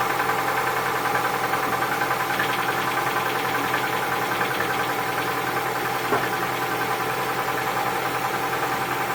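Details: Cold engine idling with a steady light knock, roughly three a second, riding over the engine note; owner suspects piston knock, source not confirmed.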